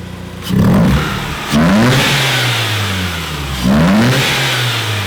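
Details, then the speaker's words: Mazda RX-8 rotary (13B), about 100,000 miles, with new spark plugs and Auto Exe short ram intake: sharp rev blips each bringing a loud airy intake rush and whine, normal. "the intake wine sounds good too"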